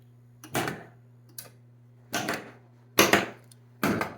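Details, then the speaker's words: Williams System 11 Road Kings pinball machine in solenoid test mode, cycling the ramp coils: a few sharp, uneven clacks over a steady hum, one weak tick among them; the ramp-down coil is not firing reliably. "ramp up was 13 ramp down is like 15 so the ramp down is not working reliably"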